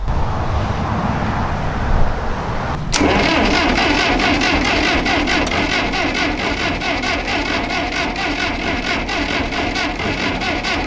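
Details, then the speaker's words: Old backhoe sat at least 5 years, fuel line redone and valve opened: starter cranks at an even beat for several seconds with no spit or cough; cranking no-start, owner suspects ignition, later fits new distributor and points. "If we're not even getting a spit or a cough out of this, I'm gonna assume it's probably an ignition problem, which doesn't surprise me because I'm not the best with distributors or whatever."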